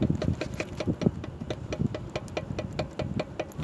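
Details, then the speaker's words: Pontiac Vibe left front brake caliper rocked by hand gives quick metallic clacks, several a second, while the right caliper sits solid. The owner suspects worn caliper guide pins; new guides were bought to replace them. "Наверное, слышно, он стучит. То есть правый стоит мертво, а этот постукивает."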